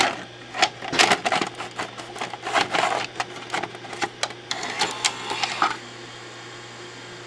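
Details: JVC BR-S611 S-VHS broadcast VCR (Code 32 error) after its loose main tape-loading mechanism belt was replaced: irregular clicks, clunks and short motor whirs as the deck cycles, stops and retries, then throws the error code; tape loading fault persists.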